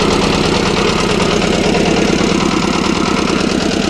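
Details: Kirloskar air-cooled diesel (10 kVA generator / concrete mixer engine) just fully rebuilt and bled of air: loud, steady clatter with an even beat, no misses or hunting; running healthy.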